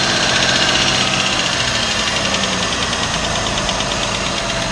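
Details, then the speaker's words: Idling petrol engine with a light, even ticking of about four clicks a second from the top end: valve or tappet noise, medium risk, worse if constant and loud. "Valve or tappet noise. This is also one of the common sounds in cars, and it's considered a medium-risk sound."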